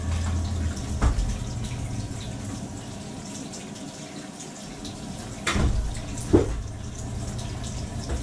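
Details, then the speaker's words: Kitchen faucet hot side on, mistaken for a combi boiler noise: running water hiss with sharp irregular pipe bangs and vibration, water hammer blamed on the faucet. "that's some sure water hammer right there folks uh here we go let's do this let's shut this off here this is the hot and this is vibrating like crazy and almost positive is the faucet"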